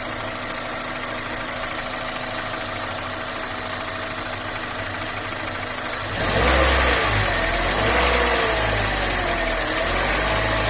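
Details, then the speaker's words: Engine at idle, then revved, raising a thin wavering whistle that rises and falls with engine speed, coming from the clutch area near the slave cylinder and release fork. "я не знаю слышно не слышно но он свистит такой треш характерный тебя то попробую поднять обороты чтобы могут при оборотах было более четко слышно"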